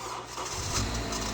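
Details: 9th-gen Honda Civic after replacing the VTC actuator spring with a hardware-store spring to cure a loud start-up knock/rattle: a short burst of even, steady running on start-up with no rattle; the fix worked.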